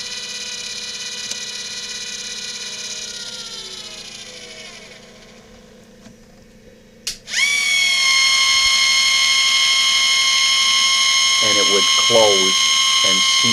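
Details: Bathroom vent hood flap actuator run on a test rig: a smooth, even electric motor whine winds down and stops, then a sharp start into a steady higher hum. It is cycling normally to open and close the flap for the 70 cfm fan.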